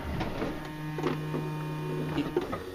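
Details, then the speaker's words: Honda Odyssey power sliding door: brief low electric latch cinch motor whir with clicks only when door is pushed shut by hand; without help motor doesn't run, owner suspects the three door contact terminals engaging the latch motor. "you can hear that motor okay but when I don't help it you don't hear it so that's what's telling me that it's probably these three terminals right here that engage that latch motor"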